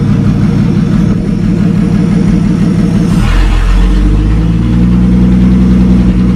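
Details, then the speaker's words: 1937 Talbot saloon, 3.2-litre six-cylinder, laid up since the mid-1970s: first run since 1976 after fresh oil, ignition repairs, carburettor cleaning and temporary fuel bypass. Steady, even idle with a brief rev blip, slightly smoky, oil pressure about 40 at idle and 50 with revs. "all right that's not bad because it's that's his first run since 1976."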